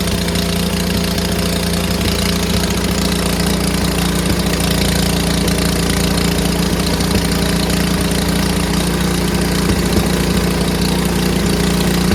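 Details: Neighbor's snowblower running after a tune-up, having sat in the garage a couple of weeks: loud, steady small-engine drone with a low hum holds an even speed without misses or surging, running properly.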